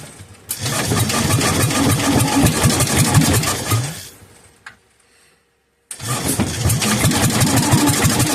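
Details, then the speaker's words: Kohler K241, about 10 hp, after sitting for years, being bottle-fed two-stroke fuel into the cylinder. It spins and fires steadily while driven by the starter-generator, then runs down to silence within a second once the drive stops. It fires but will not keep running. "as soon as I uh disconnect the power to the starter generator it once to die like just doesn't want to run but you can hear it firing"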